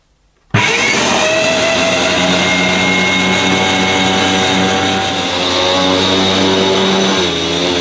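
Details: Electrolux 614 upright vacuum before refurbishment (motor not yet cleaned or greased): motor snaps on into a loud, buzzy whine with a slightly rough, unsteady edge, suggesting a dry or worn motor.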